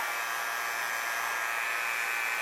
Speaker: Boy, ask Betty Davis. You can hear it with suction now.